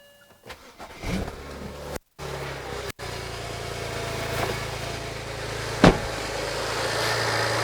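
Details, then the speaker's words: BMW E90 after replacing plastic power steering pump pulley with aluminium one: engine cranks and catches, then holds a smooth steady idle without belt squeal or chirp; belt stays on, all good. "Hey, there we go. All good. The belt didn't throw. We're good."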